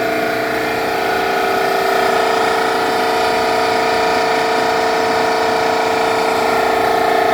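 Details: Eastwood QST-30/60 scroll air compressor running: steady strong whiny hum with a faint rough, regular beat over it; abnormal running noise, bad bearing suspected but not confirmed.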